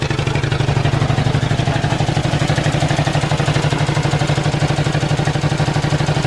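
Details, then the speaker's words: Ford flathead V8 old farm irrigation water pump, year unknown, just revived, good oil pressure, suspected couple of stuck open valves: steady V8 idle with a regular metallic clang about three times a second; something loose in the pump clanging. "it's got good oil pressure too but something's clanging in this pump that's loose"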